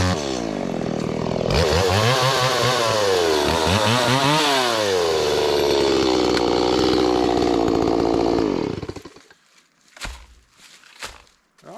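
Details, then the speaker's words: Stihl MS170 chainsaw with a 14-inch bar and a freshly filed chain, cutting on a steep hillside: screams at high revs and wavers in the cut, then abruptly dies when tipped at an angle, a recurring fault the owner says is not the fuel filter. "Y'all hear that thing give out on me when I turned it kind of cattywampus on there? It's been doing that lately."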